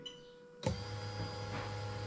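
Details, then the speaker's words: Lexus LS430 (2000-2003, RHD) 3UZ-FE with a brand-new engine harness, fuel pump switched on through a scan-tool active test: a click, then a steady low electric hum with a faint whine; the fuel pump runs properly. "i'm going to flick the fuel pump on i'm going to move it over to here you should hear the fuel pump"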